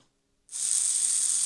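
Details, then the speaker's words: Hornby A4 Mallard model locomotive mechanism, run off the track after moly grease on the spindles and a wrongly bent clip was straightened: a smooth, even high-pitched whir with no catching or grinding. It sounds better. "That's better. We'll get a wee bit of gear oil on the pinion. That sounds okay."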